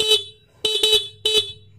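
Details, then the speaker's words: Motorcycle stock horn, fairings removed, key on, tested before fitting an interrupter horn relay: three short sharp blasts with a clean steady tone, no rasp or fading; horn healthy. "Pag-on natin ng susi mga paps, na ito yung tunog ng ating busina, no? Yan."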